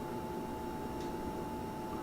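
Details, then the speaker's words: Portable beer refrigerator about two years old, buzzing since new, kept around 36–38°F: compressor buzz at start-up like a failing fluorescent tube; owner felt the lines and motor but cannot find the cause. "does a great job I have no problem with it except when it comes on you hear that buzzing"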